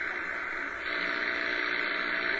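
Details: HF shortwave receiver on an antenna in a workshop, afternoon, S-meter nearly pegged by noise: dense even hiss burying station signals; poor reception, possibly from dry weather and atmospheric static.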